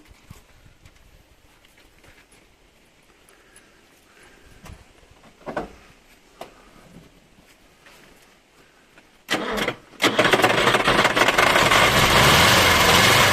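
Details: Old Ukrainian car with air-cooled engine, first start after sitting several years, fuel pumped through and choke on a wire: short crank, then catches and settles into a steady, loud air-cooled running note; normal start and idle.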